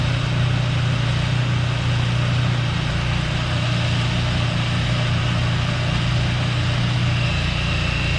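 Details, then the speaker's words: Craftsman 2-stage snowblower engine after adding fresh gas, unstarted 2 years before: steady low single-cylinder thrum, even beat under load while blowing snow, no stumbling; runs great. "So while this thing started up and runs great, right? No hesitation on the engine."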